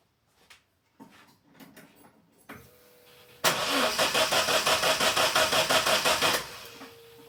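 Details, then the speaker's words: Datsun 510 on its first fire-up after dual-carb to ITB conversion, cranking after fixing zero VE and cranking table cells: steady cranking about three beats a second, barely catching. Likely too lean, more fuel probably needed. "It did catch slightly. So, I think more fuel is the answer."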